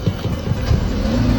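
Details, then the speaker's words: Car after reseating a leaking carbon canister purge solenoid that caused an over-rich mixture and no-start: engine catches at once on the second try and settles into a steady, even idle with no stumble. "再试一次啊，看见没？还是一把着。咱们前面看看，快看，发动机运转的特别的平稳，稳如老狗。"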